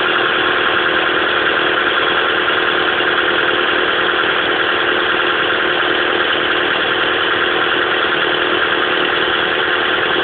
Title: Pajero mini misfire (high idle)